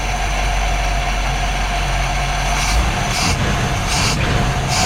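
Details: 1959 Chevrolet Bel Air 348 V8, Rochester 4-Jet carburetor, after repairing accelerator pump to fix cold hard start and hesitation: steady deep even idle with short hissy bursts on throttle blips; normal idle.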